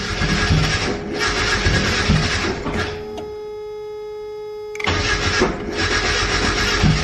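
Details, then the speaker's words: Turbocharged Mazda Miata at 10 psi on a street drive, after a suspected injector fluke: strong even pulls with short lifts between gears and a crisp, somewhat loud barking exhaust, no misfires; normal turbo engine under acceleration. "this exhaust barks woof woof she uh she sounds good it's a little loud"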